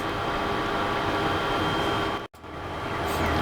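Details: JVC JR-S200 receiver: loud steady hiss and rushing noise in the left channel, briefly cut to silence as protection mode trips; random noise blasts.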